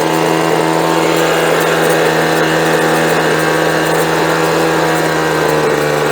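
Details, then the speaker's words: Small two-stroke leaf blower that wouldn't start, after new fuel and carb adjustment, checking low-side setting: idles low and steady with a smooth even buzz; slight stutter at full throttle, may need a bit more fuel. "Ahí tienes, eso suena bien , puedes escuchar que tiene un poco de tartamudeo completamente abierto, así que tal vez necesite un poco más de combustible ."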